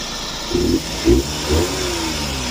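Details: Suzuki DA64V van flooded, crank-no-start with water in the cylinders: three quick throttle blips, each rising and dropping cleanly back to steady idle; engine answers evenly, sounds healthy.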